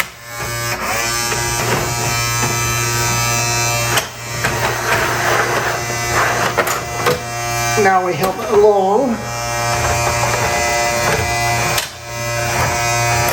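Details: RCA SJT 400 CED videodisc player spinning a stereo disc on side two: loud steady buzzing grind throughout, brief scraping warble near eight seconds; disc rubbing because the turntable sits too low, player not playing video.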